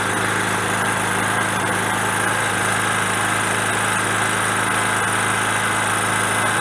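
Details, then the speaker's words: Generator on gas via regulator to carburetor, choke closed, small bottle very cold and low on pressure: steady hum but slightly rough and uneven; fuel starvation from low gas pressure, bigger bottle needed. "okay so there is not enough pressure in the tank and it it's really cold so it means that it ran a lot of the propane out"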